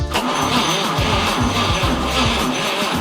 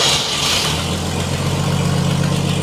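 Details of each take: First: 1947 Chevrolet Fleetline engine's first start attempt, fuel poured in, spark tester on cylinder 1: slow, even cranking at about two beats a second that tries but never catches; cranks, no start. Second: 1947 Chevrolet Fleetline engine after new points and condenser were fitted, exhaust cut off: fires straight up and settles into a steady, even open-exhaust idle with no misses; normal idle.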